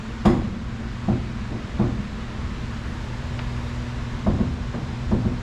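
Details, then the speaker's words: 1973 VW Superbeetle front end, wheel turned by hand: irregular dull clunks, about five in six seconds, with slight sticking and shuddering, worse on the right side as also noticed while driving. Someone suggested the steering damper, but the cause is unconfirmed. "But turning the wheel, it's a little bit kind of stuck. You can see it kind of shuddering just a little bit. And obviously it's making that knocking noise."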